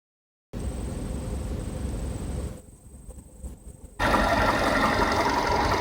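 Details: 2012 VW Polo Sedan, 43,000 km, after 80 km highway driving, warm: steady idle with a faint regular tapping about four per second over the engine hum; engine knock, cause not confirmed.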